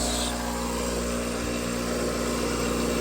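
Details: Fluoromizer 3500 refrigerant recovery compressor, about 40 years old, running at 4.5 A (rated 5.6 A) and building good pressure: steady, even low hum of constant pitch with no knocks or rattles; normal running.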